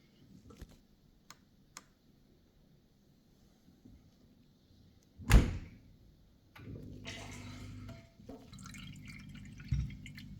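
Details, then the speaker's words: Miele dishwasher after cleaning the filter and non-return valve: a few door thunks, then the drain pump hums low and water runs steadily into the sink; draining normally. "now I can hear the water is draining and it's going to the sink now this time now you should be able to hear the water running in the sink"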